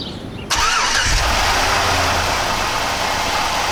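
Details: Chevrolet Suburban after replacing the failed AC belt tensioner pulley and AC belt: quick crank, catches cleanly and settles into a smooth, even idle with no belt squeal or chirp; normal start and idle, AC working.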